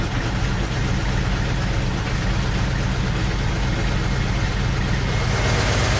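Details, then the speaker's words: BMW X5, first start in over a month after the fuel lines and intake manifold were disconnected: steady low idle with a lumpy, shaking beat, no knocks. It runs a bit rough initially, which the owner attributes to disturbed fuel trims. "running a little rough shaking a bit not doing great but running"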